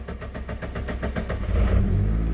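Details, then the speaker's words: 1999 Mitsubishi Pajero Pinin/iO (Lancer-type petrol engine) after replacing bad high-pressure fuel pump that caused crank-no-start: quick even cranking, catches within about a second and runs steadily; normal start. "I got that bottom piece back on now if this works we're going to do an I fixed it and I fixed it celebration dance all right here we go should start right"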